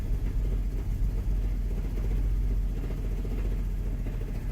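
Cold idle with a lumpy, uneven low rumble and occasional stumbles in the beat; rough running, cause not pinned down.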